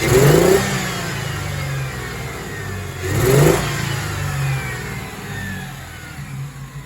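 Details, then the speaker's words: 1997 Ford Thunderbird 3.8 V6, hot engine: two uneven, choppy rev blips that stumble instead of pulling cleanly, from at least two cylinders misfiring; injector wiring, ignition wires and coil pack are to be checked. "that choppy acceleration that means that at least two cylinders are not firing or they are misfiring"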